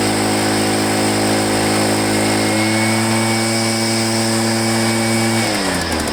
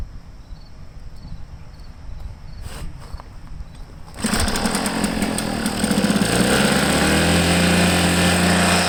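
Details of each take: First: Echo PB500H backpack blower, back with a no-start, running smoothly with a steady two-stroke drone that revs up and eases off; it runs well but the primer bulb is rock-hard and won't prime, and the fuel line had a kink. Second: Echo PB500H blower with a replacement carburetor fires after handling and settles into a rough, burbly, uneven note, smoking heavily; it runs rich, the carburetor dumping fuel, likely a bad carb; a change is planned.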